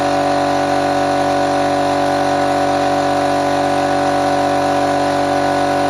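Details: Restored old compressor fired up for the first time after refurbishment, checking whether it works: steady even drone with constant pitch and no knocks or rattles; running smoothly, normal running.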